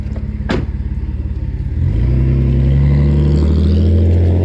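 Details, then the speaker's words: Alfa Romeo 156 3.0 V6 with newly fitted sports exhaust system, driving past: deep, even pulses swelling into a smooth rising roar as the car pulls away; clean, healthy exhaust note. "sounds pretty good sounds pretty good it's getting louder he doesn't realize it's going to get a lot louder here we"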